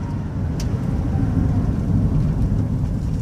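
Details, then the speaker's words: 2007 Chevy Uplander Braun mobility van, about 277,000 miles, hard stop after highway driving: only steady road and engine rumble, no grinding or squeaking; brakes healthy. "grinding no squeaking the steerer wooden rocking back and forth"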